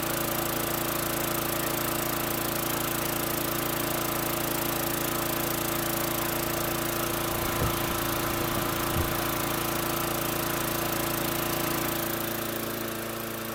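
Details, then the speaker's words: Repaired 2003 Murray 5.0 HP high-wheel push mower with a Quantum priming engine: steady, even single-cylinder putter at constant speed with no misses or knocks, blowing a little smoke. The engine is running normally. "Sounds good, blowing a little smoke, but what do you expect? 2003 machine."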